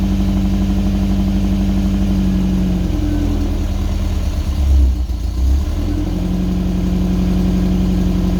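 Steady, even idle with one quick throttle blip midway; deep, settled exhaust note, no rattles or blowing, sounds healthy.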